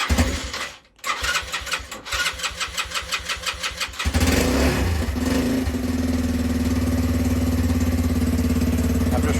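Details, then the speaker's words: Lexmoto Street 125 former non-runner, fresh fuel, new 10W-40 oil, charged battery, started without choke: a few seconds uneven cranking, then catches and settles into steady even idle; clean start, runs fine. "so yeah it's all working fine idle sounds lovely idling beautifully revs now"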